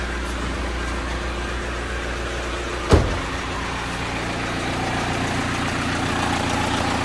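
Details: Hyundai Santa Fe common-rail diesel that wouldn't start, after charging weak battery: brief thump then smooth, even idle with steady low hum, no knocks or stumbles; check engine light traced to unplugged MAF sensor connector, then reset.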